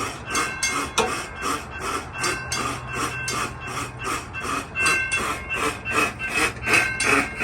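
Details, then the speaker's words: Railroad crossing gate mechanism in a demonstrated malfunction: a harsh rasping grind repeating about three times a second in uneven bursts from the hold-clear device. It makes the other signal go erratic and can damage the mechanism. "You can hear the sound. It's causing the other signal to go crazy."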